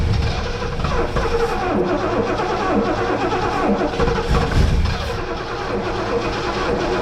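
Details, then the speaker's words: 1971 Lincoln Mark III barn find V8 running on gas poured into the carburetor with the pedal feathered: uneven, lumpy firing that surges and sags, never settling to a steady idle; rough running from fuel starvation. "Feather the pedal. Yeah, just try to keep it running here. Hang on, I've dumped one more gas in."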